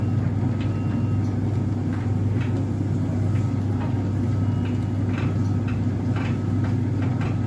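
Steady low drum hum with faint, slightly irregular light ticks a few times a second on top; the source isn't clear from sound alone.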